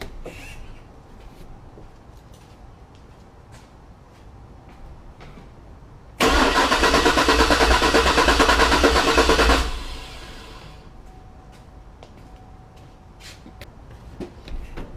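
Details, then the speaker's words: 2004 Cadillac Escalade crank, no start: starter churns evenly about three beats a second for three seconds, never fires; lab scope shows no crankshaft signal at pin 12, failed crankshaft position sensor, replaced. "so since we don't have any signal coming out now next thing we have to go down let's go down to the sensor and do some checks there at the connector"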